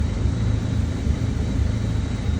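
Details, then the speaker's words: 2009 Mini Cooper 1.6L at idle: low rumble stumbling with uneven thumps about every half second; misfire data shows misfires only at idle, gone at 2,000 RPM. "Now, let's go a little bit above idle. Let's go to like 2,000 RPM. No misfires. No misfires, only at idle, guys."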